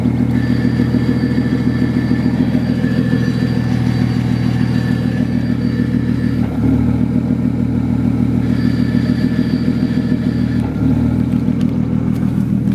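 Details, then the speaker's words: BMW 135i, about 750 hp, with newly installed XClutch twin-disc ceramic clutch, idling with the clutch pedal pressed: faint metallic whir over the idle, normal for this clutch's metal roller release bearing. "that's this clutches throw up bearing that metal roller bearing has that metallic whirring noise"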